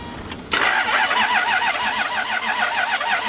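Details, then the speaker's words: 1992 Lexus LS400 4.0 V8: starter spins steadily about three beats a second but engine never fires; cranks, no start, owner suspects fuel pump. "It doesn't start. Sounds like fuel pump. It cranks. Doesn't start though."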